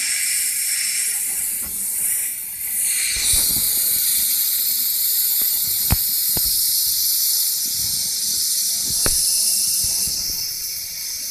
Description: Ford Figo1.4 Tdci A/C compressor hissing sound